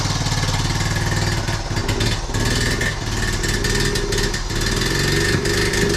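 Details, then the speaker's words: 1976 Honda Z50J1 Monkey, unstarted for a couple of weeks, cold on half choke: uneven thumps with dips, pops, splutters and carb backfires, revs sagging as if about to stall; rough running, owner suspects fuel, later traced to points gap. "It pops and splutters a bit and it backfires through the carb. That's it. I've not started this for a couple of weeks. And it just wants to die as well."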